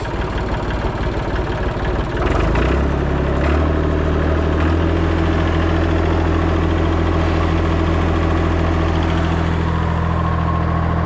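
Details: Morra F25-6 disc mower on a tractor, tested after a bearing repair: the tractor settles at idle, then the mower drive picks up into a steady low hum with no knock or grind. Normal running.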